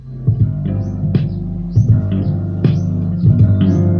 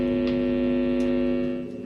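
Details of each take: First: Kit-built amplifier after fixing DC offset from a poorly connected TIP41C: loud, bass-heavy music plays cleanly with no hum underneath. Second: DIY amplifier after DC offset fixed (0.00 V), loud steady low hum with audio input at high volume; ground loop because tone control is grounded from the main PSU.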